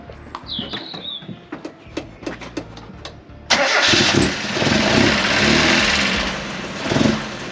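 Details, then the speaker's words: 1994 Mazda Eunos Roadster after fitting new ignition leads, which made no difference: scattered clicks, then it catches and runs with an uneven, lumpy beat that surges and sags; rough running, probably misfiring cylinders. "That sounds awful. Are you supposed to be revving? Yeah. Stop. Keep it going. Yeah. All right. New leads are on. Um made no [ __ ] difference at all."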